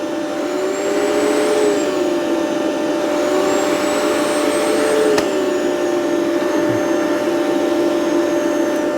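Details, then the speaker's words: Rainbow PN12 power nozzle (donated) running on carpet: motor hum sags in pitch whenever the brush is loaded, then recovers; brush roll slows to maybe half speed or less under any load, owner suspects a loose belt. "So any load at all and it just really slows down. Maybe like half speed, maybe even less."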